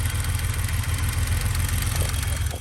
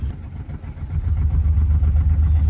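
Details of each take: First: 1991 BMW 735iL after fixing overheating and bleeding the coolant, running without a thermostat: steady low idle rumble with even pulses and no ticking or knocking. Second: '91 BMW 735iL with an overheating problem, running after the cooling system was bled with no thermostat fitted: a low engine drone with a pulsing throb that strengthens after the first second, sounding wrong although the source is unclear.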